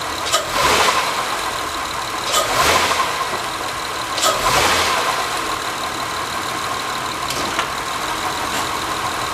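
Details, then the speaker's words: 2005 Honda Accord EX V6, 85,000 miles, in drive with foot on brake and given gas: heavy thumps on each rev as the totally broken front center engine mount lets the motor lurch; loud clunk when accelerating from stop. Broken engine mount clunk under load. "So you can see by that pretty clearly that the that front center mount is totally broken."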